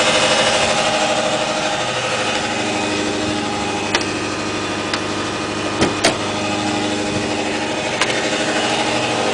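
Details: 2008 Subaru Impreza Outback Sport with 52k+ miles: at startup it settles into idle with fast, uneven ticking and odd sharp clicks. Cause unclear; it otherwise runs fine.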